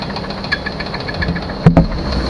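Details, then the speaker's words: 1998 Chevy Suburban, first start after sitting 8 years without pre-oiling, low oil pressure shown: a sharp knock about six to seven per second over a rough idle, with heavier clunks. Owner suspects a bad main bearing. Engine knock at idle. "that did not sound good at all sounds like bad mane bearing guys it's bad it's real bad"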